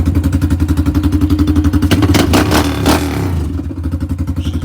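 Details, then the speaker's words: Rebuilt single-cylinder bike ("400 EH") on first start, battery from a car, slight smoke from handling: strong, even beat with clean rev and settle, no ticking or knocking; running healthy before heat cycle and leak check. "but man, this thing is running good, dude. For a first start."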